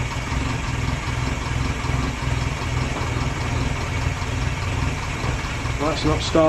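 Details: 1930s Morris 8 Series 1 four-cylinder, now running on fuel from the tank via SU electric pump instead of a temporary funnel feed; low even beat, smooth healthy idle with no misses, knocks or hunting.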